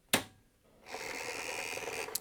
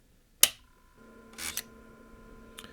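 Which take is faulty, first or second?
second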